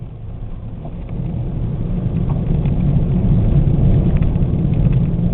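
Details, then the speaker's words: A 1998 Oldsmobile Cutlass driven at about 38–40 mph: a loud, deep rumble fills the cabin and swells at speed. The front hub assemblies' wheel bearings are extremely worn. "Yeah, I know. These are by far the worst wheel bearings I've ever heard in my entire life."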